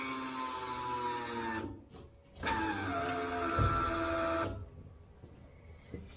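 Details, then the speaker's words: Stepside truck with 6.1L Hemi, new electric fuel pump on modified bracket with new lines and filter: soft steady hum cutting out and back as it primes, much quieter than before, 60 psi, no leaks; normal. "so we're gonna just turn the pump on now let's see if it leaks anyway it is so much quieter"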